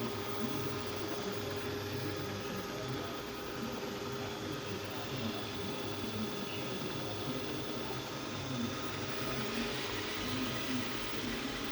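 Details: Two-month-old Roborock S6 Pure, cleaned after every use, running with a loud, rough drone and fluttering rattle over its steady motor tone while moving and during docking, even with brushes installed; abnormal noise.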